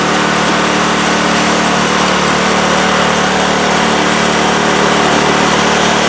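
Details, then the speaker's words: Craftsman snowblower after cleaning, lubricating the chains and readjusting the shift handle screws to fix missing 6th forward and slow reverse speeds, run through all speeds. Steady, even buzz under load without surging or stumbling. Normal running, all speeds work. "okay we got all six forward speeds and all both two of the reverse speed"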